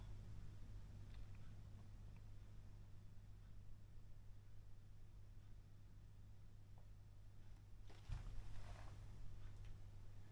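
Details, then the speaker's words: Late 1940s–early 1950s Masco MA25N 110 V tube PA amp, unused for years, slowly powered up through a 25 W bulb limiter at about 40 V AC: faint, steady deep mains hum over a quiet background as it comes back to life. "I have got a faint deep home but yeah we see we've got something going on there it's coming back to life"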